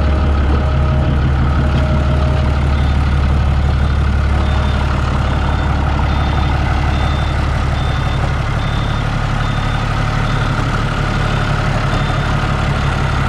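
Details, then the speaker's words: New Holland TB120 diesel tractor just after refitting the rebuilt fuel injection pump and timing it: steady, even low clatter at idle with no misses, knocks or hunting; starts perfectly and no longer smokes. "sounds a lot better looks like that was a problem let me go run it around see how it does but it starts perfect it's not smoking like it was"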